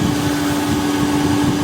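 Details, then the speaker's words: 2011 Toyota Camry Hybrid, over 10 years old, running with air conditioning on: constant low, hollow, loud drone at one pitch from a worn A/C compressor. "แต่ที่มีเสียงดังเกิดจากคอมเพรสเซอร์เสื่อมสภาพครับก็เดี๋ยวทางร้านเราจะจัดการแก้ไขให้ครับ"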